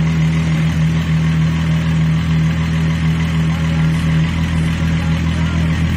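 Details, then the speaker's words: Mk3 VW VR6 with intermittent misfire and hard starting, new plugs and leads, owner suspects coil pack: steady, even low rumble after restart, idling smoothly with no misfire right now. "For some reason it's not misfiring now. Let's see. Damn, she sounds good."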